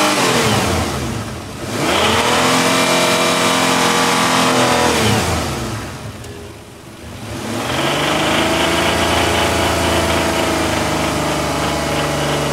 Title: Isuzu 6ve1 engine knocking sound 82000 mileage